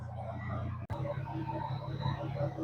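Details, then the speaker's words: 2017 GMC Sierra 1500 V8 idling after repair of a worn camshaft, with no check engine or dash lights: a steady, even low rumble with no knocks, ticks or misses, a normal idle. "Miren, como pueden ver, ahí está el motor. No suena no nada."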